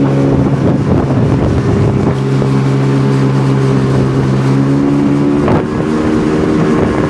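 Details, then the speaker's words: 2002 Sea-Doo RXDI two-stroke after rebuild (new top end, different crank and block), first water test on old gasoline: steady smooth idle around 1420–1440 rpm under wind; healthy, no maintenance light. "oh yeah island 1420 anywhere between 14 oh yeah 1440 is the typical probably will settle into 1440."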